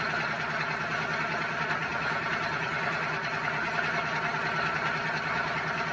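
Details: Twin-turbo Dodge truck, started on a freshly charged battery after all vacuum lines were replaced to fix a driver-side leak from turbo to wastegate, not yet tuned: an even, steady idle rumble with no hiss, whistle or hunting. Runs normally. Smoke is exhaust wrap burning off.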